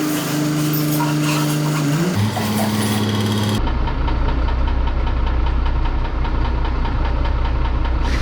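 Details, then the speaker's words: MAN TGM 18.340 truck, D0836 LFL65 diesel, 745,889 km: lumpy uneven idle stumbling about three times a second and smoking; diagnosed no compression in cylinder six causing misfire. "Chẩn đoán động cơ, không nén ở xi-lanh thứ sáu, quãng đường đi được 745.889 . Đây là cách nó hoạt động đối với Chúng tôi, hơn nữa nó vẫn bốc khói"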